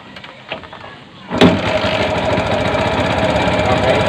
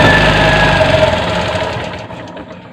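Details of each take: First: Bajaj CT 100 that died while riding, after spark plug and tappet clearance fix: catches and idles with loud, fast metallic clatter on top, identified as the timing chain guide; probably not being replaced. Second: Bajaj CT 100 motorcycle that died while riding despite strong spark and a replaced spark plug (spark plug gap possibly too tight) now catches and runs with a steady, even beat, then fades; normal running.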